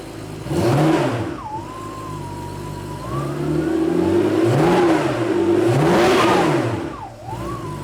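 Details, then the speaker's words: 1987 Porsche 911 Carrera 3.2 engine on a test stand: throaty exhaust blips rising smoothly to about 2000 rpm, even firing, no misses; normal revving. "yeah just watch the RPM go up two thousand that sounds great"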